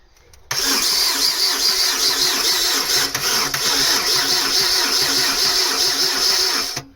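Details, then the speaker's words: Mk3 Astra 1.6 LS saloon, unmoved since 2009: with 12 volts fed straight to the starter it whirrs steadily, about two and a half beats a second for six seconds, but never fires; owner suspects the ignition switch. "if i put 12 volts straight to the starter it will turn over which makes you think maybe ignition switch"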